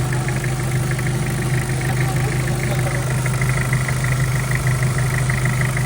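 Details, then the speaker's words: Mitsubishi Pajero Field Master diesel after new double timing chain set, guides and gears, valve guides, seals and oversize piston rings, intercooler not yet fitted: smooth steady idle, low even drone, no rattle or clatter from the front; oil leak gone; normal idle. "Ganda, tahimik na."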